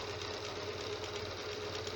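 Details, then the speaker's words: Janome sewing machine after loose part adjusted and tightened and moving points oiled: light, even whirr with steady stitching rhythm, no heavy thumping as before; running smooth and healthy. "देखें जी, बिल्कुल हल्की फुल्की आवाज़ इसकी अपनी जो machine की होती है, हर लिहाज से बिल्कुल फिट हो"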